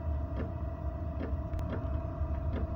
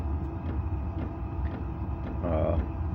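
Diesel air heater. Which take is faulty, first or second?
first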